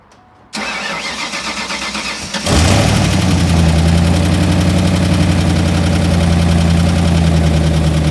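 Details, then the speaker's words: First start of a rebuilt engine, coil pack not yet bolted down and cam sync not cinched: starter cranks about two seconds, then it catches into a steady, even idle with no knocks or misses; air-fuel reading about 11.1:1, rich. "So it's running good again, although for some reason the idle says it's 11:10 to 1."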